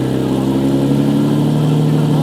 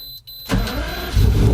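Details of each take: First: Movie-spec Fast & Furious Lamborghini Murcielago with its existing exhaust: raspy, blaring revs rising and falling, harsh and droning rather than musical, a straight-through unmuffled exhaust that owner plans to remove. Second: Lamborghini Murciélago V12, in neutral, started with the key for the first time after a key-start fix: short crank, then catches cleanly and climbs into a firm, even rev. Normal start.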